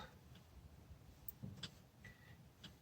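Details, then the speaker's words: Yamaha Wolverine X4 side-by-side at about 10,000 miles: light irregular tapping over a low rumble as the over-adjusted throttle cable, with too much slack taken out, bottoms out against the gas pedal stop. "hear that tapping it's my throttle cable bottoming out you adjust this to where too much slack is taken out you really have a stopping your gas pedal"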